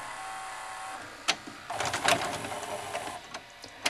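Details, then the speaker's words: Heavily worn 1993 Sony SLV-400 four-head VCR needing belts, pinch roller and lube; on tape insertion loading starts, the cam-gear drive motor whirs, then clicks and grinding buzz, tape mechanism stalls mid-load; double-cam system, cause suspected, not confirmed. "you can hear the motor that drives the cam gear rotating but nothing happens"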